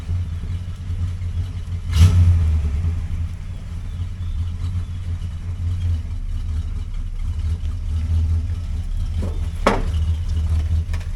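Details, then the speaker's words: 1960 Chrysler Saratoga, 383 RB big block, after rebuilding the torn-boot front driveshaft trunnion joint; smooth low rumble pulling away, quiet shifting reverse to drive, no clunks or rattles. Driveline healthy. "sounds good no funking no rattling switch from reverse to drive yep that's pretty quiet"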